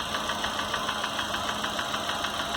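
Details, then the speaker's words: Chevrolet Corsa/Montana engine at idle: crisp, even tick about seven times a second over a smooth idle; transducer on the block traces the coarse noise to the upper cylinder head, not the bottom end. "e não é tão fino é um barulho mais grosso né e aparentemente é comando né é o comando que está batendo ali ó tá vendo"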